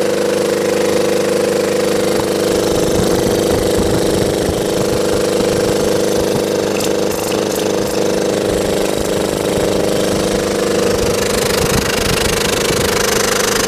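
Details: Belt-driven air compressor on a scrap-saved single-phase motor at 240 V, after the crossed capacitor wiring (start cap fitted in place of run cap) was fixed. Steady hum with even, quick pump chuffing, no knocks or squeals; current draw falls as compressor oil warms.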